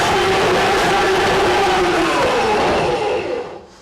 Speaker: it's going to get noisy but pay attention to the tone of the machine and you will hear when it whines down okay that means that it's actually trying to work